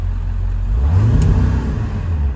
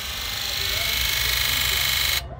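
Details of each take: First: Ford E-350 4x4 with 7.3 L diesel, pulling away with visible smoke: a low, dull, muffled exhaust note that swells but never pulls, with no power. An EBP issue is suspected, unconfirmed. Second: Ford E-350 4x4 7.3 diesel with lack of power, codes for high-to-low side open and injector driver module failure, key-on click test: long steady buzz then short sharp buzzes; all 8 injectors buzzing.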